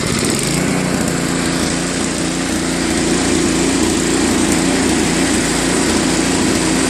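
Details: Tecumseh Snow King 5.5 hp 195 cc snowblower engine after carb cleaning; speed rises and falls slightly, still searching at low idle; misadjusted idle screw, fixed by adjusting idle screw at high and low throttle.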